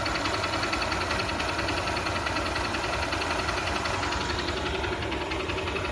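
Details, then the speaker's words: Motorcycle single-cylinder engine idling after repair (bore had failed by 16,000 km); steady putter with even valve ticking, no smoke, no knock or misfire, runs clean: normal idle. "Smoke ఏం రావట్లేదు engine sound అయితే ఒకసారి వినండి clear"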